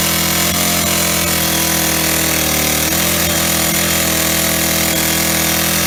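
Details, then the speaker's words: Old Stihl 08S chainsaw, first start in a while on old gas, running off choke: full-throttle scream with harsh metallic rattle, bogs in the cut; knocking, top or bottom end unknown, low on power. "so it's definitely knocking and uh either on the top end or bottom end she's quite loud there"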